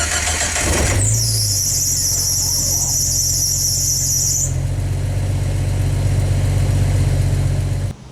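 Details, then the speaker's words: Jeep Wrangler YJ at cold start: engine catches, then a shrill high squeal over the idle for a few seconds from a slipping fan belt; voltmeter dropped while it squealed as the alternator wasn't charging. "hear that bell squealing in the background did you notice the whole time that the belt was squealing that the boat leader was riding down"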